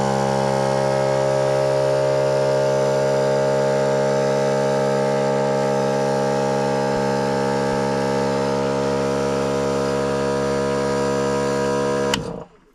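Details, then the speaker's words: Air compressor on a 7 1/4-inch gauge driving carriage, supplying an air cylinder for newly fitted cable-operated brakes, switched on at its main switch; steady even motor hum at a constant whirring pitch without knocks until switch-off, running normally. "So that's the main switch there for the compressor, as you can hear."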